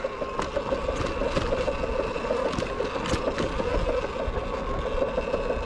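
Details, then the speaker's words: Sur-Ron electric bike's stock rubber primary drive belt skips teeth while riding: a steady mid-pitched electric whir broken by irregular sharp knocks, worsening. "this sounds not good i think my belt is slipping that's what that sounds like definitely a belt slipping issue sounds like i stripped it"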